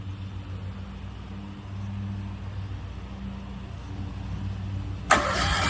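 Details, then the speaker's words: Westinghouse 20,000-watt portable generator, new out of box, battery connected, oil added: starter churns the engine over with a low drone but it never catches; no fuel delivery. "Let it go again. We need to get the fuel through the whole system."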